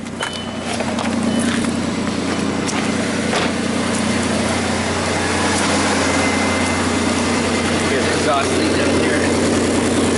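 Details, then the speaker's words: 2001 Audi A4 Quattro 2.8 L V6 at cold start idle with a blown flex pipe leaking upstream of the oxygen sensor, setting fuel trim codes; loud raspy exhaust note with a fast puffing chuff. "here sounds like a mean machine"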